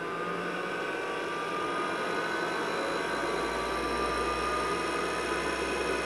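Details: IBM 5150 PC (1982) with 10 MB IMI MFM hard disk, upgraded power supply, NEC V20 CPU, after cleaning and reassembly: steady fan rush, faint high disk whine, no clicks or grinding; boots to cursor, running normally.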